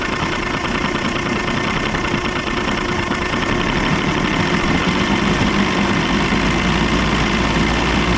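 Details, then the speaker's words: 1989 Evinrude 150 hp two-stroke outboard at about 1200 rpm, popping unevenly about three times a second with hesitation; misfire from a fuel issue, with old bad gas found in the motor. "Still kind of hear a little hesitation. Hear it popping. That's definitely a fuel issue. They were running that old gas out of there or something."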